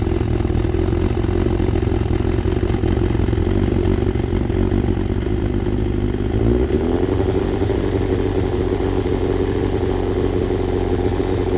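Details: Freshly rebuilt Thunderace engine at initial start-up, oil double-checked, water leaks still present: a steady, even idle with a smooth low beat that settles slightly lower partway through. No knocks or rattles; normal idle.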